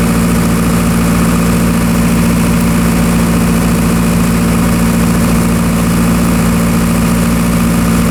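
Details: Military surplus diesel generator, restarted after years in storage, running outside during overload-trip tests on individual phases: a steady, even drone with a firm low hum that doesn't dip; it handled a significant overload with little droop and no spurious trips.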